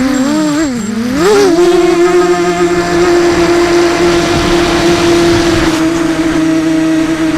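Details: 250 mini quad FPV in flight: steady high whirring motor tones with rough gritty undertone from shelled-out bearing on a SunnySky 2204 motor, unnoticed until landing. Failed motor bearing.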